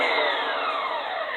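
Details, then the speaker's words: Curbside-found Durabuilt electric pressure washer, running for a couple of minutes on an extension cord: steady, even motor whine with no knocking, rubbing or speed hunting. The motor runs fine; the only fault found is a kink in the hose. "and as you can hear the motor seems to run fine"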